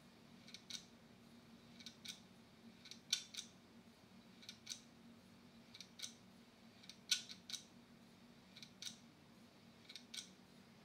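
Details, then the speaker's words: Western Digital laptop hard drive with cover opened, powered up to watch the head; sharp paired clicks about every one and a half seconds over a faint spindle hum; classic click of death. "I had the terrible Click Of Death that you get when your hard drive is trying to find a certain layer or sector and it just the head just sticks"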